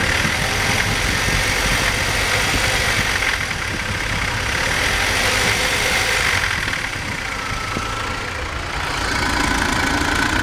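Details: BMW 318i engine with a rough idle that wavers and shakes with a loose, irregular pulse under a hissy top end.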